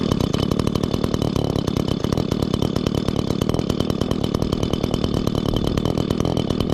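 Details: 2016 Echo GT-225 curved-shaft trimmer, 21.2cc two-stroke, just started after choke and primer: fast, steady buzz with no misses or surging; the trimmer runs fine.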